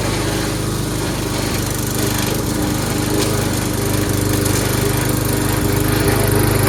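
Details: Troy-Bilt 22-inch mower, 4HP Briggs Quantum, makeshift throttle linkage, run on choke for one steady speed: even, fast buzz staying steady while mowing, little sag under load; normal running under load.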